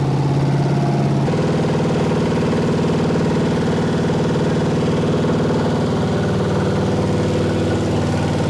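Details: Ford V8 on its first start-up, running hot and blowing coolant, with a 4100 carburetor from an F100: loud idle with a lumpy, uneven beat and faint irregular tick because a rocker arm jumped off its stud.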